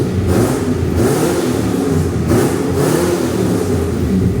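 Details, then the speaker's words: Ford AU XR8 Falcon V8 after fitting a second-hand full exhaust; old manifold gasket reused on the right bank, new one on the left; raspy puff on each rev from the right-side exhaust manifold gasket leak. "That sounds tough ass. Even though it has got an exhaust manifold leak. I did try and tighten them up, but I should have put that new gasket on there."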